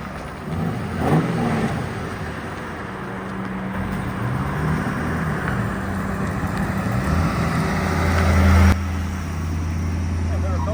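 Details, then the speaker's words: 2011 Ford Crown Victoria (CMP car) driving after input shaft bearing replacement and manual transmission reinstall: steady drivetrain rumble with uneven dull knocks from underneath, likely the exhaust hitting a flexing driveshaft support bracket that needs welding. "Yeah, so we gotta get that bracket welded up because I think that's what's hitting your exhaust. Flexing too much."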